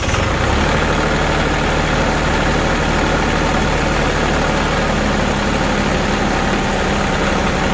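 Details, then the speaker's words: New Holland Boomer TC25D diesel tractor, engine still fairly warm on a 12-degree day, started after a fuel filter change: uneven, labouring rumble that sags and stalls because of air in the fuel system, needs bleeding. "Oh, here it's struggling. So it's got air in the system. So what we need to do is we need to bleed it."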